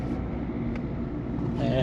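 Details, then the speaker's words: 2008 Peugeot 207 1.4 turbo diesel, 5-speed manual, on a test drive after replacing sway bar links and setting tire pressures: even road rumble and engine drone with no metal-to-metal clunks over bumps; suspension now normal. "still driving that's not it's hitting normal it's getting normal"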